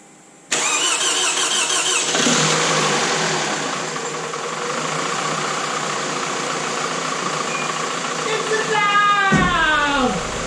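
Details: 2002 Toyota Camry after a blown head gasket repair (loose head bolts, head resurfaced, radiator crack JB-welded), first start after reassembly: cranks briefly, catches and settles into an even idle with no misfire, knock or ticking; normal idle.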